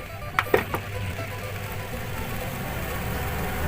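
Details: Twin-tub washing machine that would wash but not spin-dry, spin motor wired directly for testing: a few clicks, then a steady, even low hum; spin motor runs smoothly, the faulty part to be replaced.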